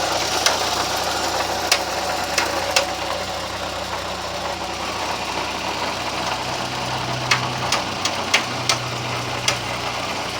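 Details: VW Gol "bola" 1.0 engine idling with scattered, irregular sharp ticks over the hum; the noise started recently and its source is unknown to the owner.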